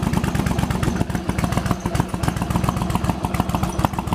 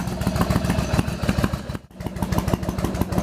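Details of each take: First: Yamaha Virago XV1100 with years of occasional coughing and spluttering on one cylinder, after replacing regulator rectifier, in garage, headlight on; lumpy but regular V-twin idle firing evenly without coughs or spluttering; runs cleanly. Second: Yamaha Virago XV1100 V-twin idling with a lumpy beat and a brief cough through one cylinder; long-term intermittent misfire; charging read 13.6 V at idle, dropping to 12.5–12.6 V at mid revs; before the regulator rectifier was replaced.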